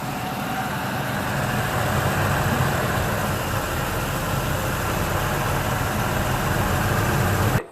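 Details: 1999 Ford F-150 V6 idling after an AMSOIL engine flush and oil change: a low, even rumble with a steady beat and no ticking or misses, smoother than before.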